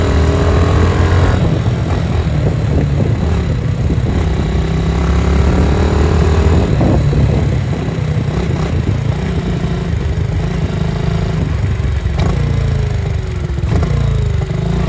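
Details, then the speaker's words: Yamaha TTR-90 pit bike while riding, after carb cleaning: the small single pulls cleanly through the rev range with no misses, knocks or hesitation, so the engine runs normally. "um engine makes smooth reliable power throughout the rev range and it's just a really fun bike to ride"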